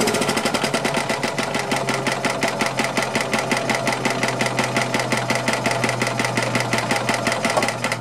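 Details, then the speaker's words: Long-stored Yamaha G2 gas golf cart, after carb cleaner sprayed into the carburetor with choke stuck open: quick regular single-cylinder putter holding its pace without stumbling once started; running properly. "awesome uh well that's great it's going too good so far"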